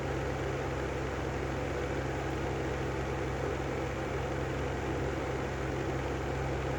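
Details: Brand new Lanson style 3 exhaust fan running with a steady low hum and a rough, gravelly rumble from bad bearings.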